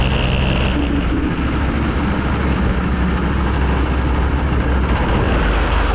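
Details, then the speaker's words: Go-kart engine after mechanicals sorted, front wheels tightened and bearings checked: steady low drone at full speed under load with wind rush, no misses or knocks, pulls cleanly; brakes stick slightly. Healthy engine under load. "that passed for flying colors everything felt nice and tight she goes full speed"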